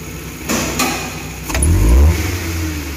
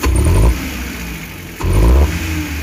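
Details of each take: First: Futura 1.5 (1500) after throttle body cleaning, idle about 900 rpm: steady idle, quick throttle blips rise and drop cleanly with no stumble or shake; the plugs were the cause. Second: Futura 1.5 petrol van, throttle blips: engine bogs and stumbles as revs pick up before settling to idle, no vibration; hesitation suspected as misfire, spark plugs and throttle body to be checked, unconfirmed.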